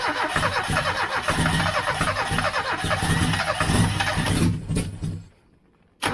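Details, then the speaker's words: 1989 Austin Mini 998cc A-series, first start after three years sitting, run without choke. Runs ragged and surging for a few seconds then dies, with no tapping or knocking. Owner suspects fuel starvation. "I think it's got fuel delivery problems it seems to Surge and then go off again which is not surprising given how long it's been sitting"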